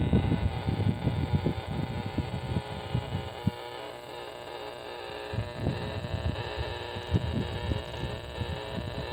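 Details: Steady, rasping electrical buzz with a constant hum and some thumping, heard on AM and 40 m radio at a park; power-line RFI traced to a bad lightning arrester on a power pole, and the noise was gone after the power company fixed it.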